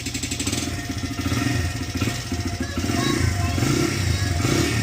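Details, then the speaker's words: 2006 Honda CRF100F after tightening the timing gear bolts, choke on, first start after months sitting: single cylinder revs up and settles into a steady even beat with no ticking or knocking over the exhaust; healthy. "But yeah, guys, no more clicking noises. Perfect."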